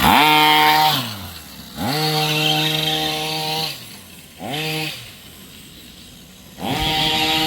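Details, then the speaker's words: Rovan 45cc two-stroke in an XLT, low-speed needle set 1.5 then 2 turns out, running rich and not hot: revs rise and drop repeatedly, rasping and ragged; sounds different and wrong to owner, cause not yet found. "I don't like the way it sounds, guys. It just sounds different."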